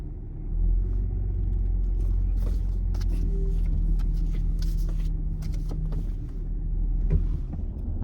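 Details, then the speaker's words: Holden VZ Adventra test drive after tailshaft center bearing replacement, low speed around the block then braking: low steady road rumble, no clunk, whine or knock; former noise under heavy braking is gone, driveline smooth. "quiet though we'll hit the brakes see what happens well it doesn't make that noise anymore that would have made a horrible noise on heavy braking that used to do"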